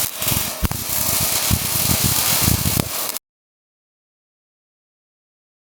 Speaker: Slow pling machine struggling.